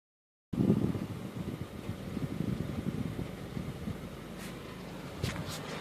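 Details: 2013 Honda Civic at cold idle with AC on: uneven rattle and flutter over the engine hum, described as an AC clutch noise that goes away when the clutch pedal is pressed; cause not yet clear.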